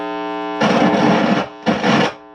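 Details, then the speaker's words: 1986 Marshall Lead 100 Mosfet amp head on the bench, powered up with test signal; steady hum then loud bursts of harsh crackling hiss from dirty, scratchy control pots such as boost volume. "Whoa, dirty pots. It looks like oh, that's boost volume."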